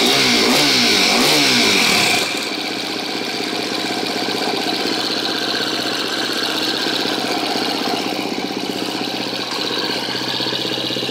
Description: KTM 250 exc-f 2013 making a ticking sound from engine while idling. is it the cam tensioner?